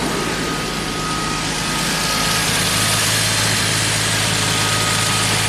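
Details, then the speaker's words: 1990 Jaguar XJS V12 with a high idle that surges while warming up, after turning the idle adjustment screw fully in (two turns): even steady idle with constant smooth hum and no hunting; no surging at the moment. "No surging at the moment."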